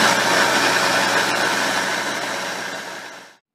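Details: Subaru Impreza WRX STi Spec C (GDB, EJ207, 6-speed manual, 55,599 km): steady hissy whir with low hum dying away as it coasts down; traced to a worn bearing in the transmission extension (rear) case.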